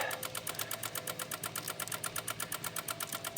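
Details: 2016 Honda HR-V no crank no start, brake on: rapid even relay clicking about eight per second, engine not turning; stopped once when engine tilted while revving; attributed to a missing engine ground strap.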